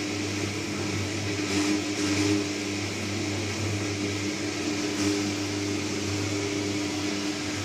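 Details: New Candy Trio 9501/1X running: a steady low electric hum with a droning resonant buzz and some swelling, nothing rhythmic. Loud operation with humming and resonance, cause unclear.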